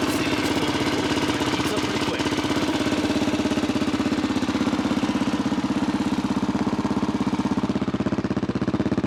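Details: 1985 Honda XR350R single after its carb was cleaned, air/fuel screw 2 turns out, cold start using manual decompression. Even, regular thumping at fast idle, about three beats a second, with a loud exhaust but steady: a normal cold idle.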